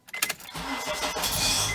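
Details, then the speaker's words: 2007 Honda CR-V at about 203,000 miles, during engine start: a few sharp clicks, then a harsh, gritty metallic grind as the engine catches; owner suspects the starter gear doesn't retract in time and hits the flywheel, and is replacing the starter. "there we go now you heard that so there's like a grinding noise that um does not retract back in time so it hits in my mind it hits the flywheel on the engine and it makes that grinding noise"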